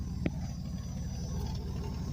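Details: 1998 Chevy Blazer LS 2-door 4x4 with 4.3 V6, just started: low, steady, quiet exhaust burble with even firing and no knocks or misses; normal idle.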